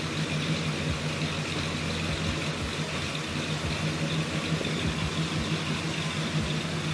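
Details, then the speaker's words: 2005 Chrysler 300C 5.7L Hemi after cam install, with exhaust and headers, idling: deep, choppy idle loping unevenly a few times a second with a heavy exhaust rumble; normal sound of a healthy cammed V8. "Listen to that thing, man. Listen to it. With a cam, exhaust, and headers. That's it. It's nasty."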